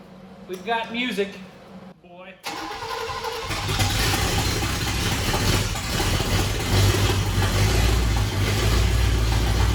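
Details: "Bear" 9C1 first start, only Y-pipe fitted, no exhaust: catches and settles into loud, fast, uneven idle with open bark; uncapped vacuum lines holding idle high, carburetor needs tweak.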